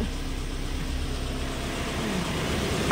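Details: 2012 Toyota Fortuner diesel, odometer reading 41, fixed after crank-no-start stalling: low, steady idle after restart with even firing and no misses or knocks; normal.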